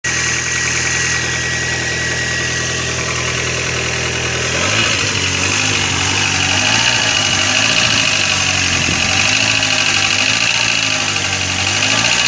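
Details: Corsa engine at steady idle with a rapid light ticking from hydraulic lifters that are slow to pump up; the cause given is a dirty oil pickup in the sump restricting oil supply.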